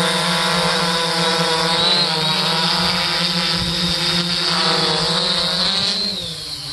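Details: 3DR Solo drone flying about 100–200 feet away after upgrading from the OEM motors to Emax MT2216 810 KV motors: a smooth, steady high whine from all four motors over a low hum, free of rattles or wobble, much quieter than the OEM motors; normal drone motor hum.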